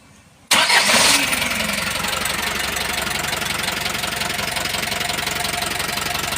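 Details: Isuzu 4BE1 diesel engine cranks, starts and idles with a sharp, steady knock about four times a second: engine knocking.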